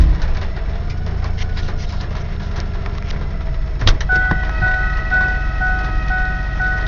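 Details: 1995 Ford Explorer 4WD, transmission rebuilt two years ago, lately would not shift into 3rd unless off the gas; clunk into reverse or drive, then a loud steady whine over idle that stops at 5–8 mph; owner suspects the transmission body or torque converter, no check engine light.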